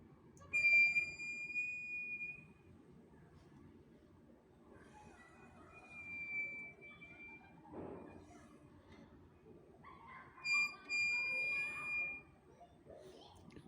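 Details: Brand-new Royal Enfield Classic 350 Reborn: a high, thin squeal in short bursts that rises and stops as the front wheel turns. The front wheel is jamming and squeaking, cause unknown.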